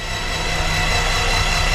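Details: Titan IO-340 aircraft engine (180 hp, naturally aspirated, fuel-injected, high-compression four-cylinder, dual electronic ignition) on its first start: a steady low churning drone with an even pulse and no knocks, grinding or slipping, so the starter is cranking normally while oil pressure builds.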